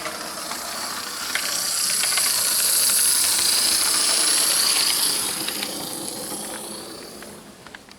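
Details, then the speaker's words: Lima Express Parcels van model railcar with 3D-printed replacement gear, reversed to run motor first around the layout for a few minutes: even high motor whir rising and fading as it passes, light rail clicks, no grinding; runs fine. "I'll give it a run for a few minutes seems all right actually"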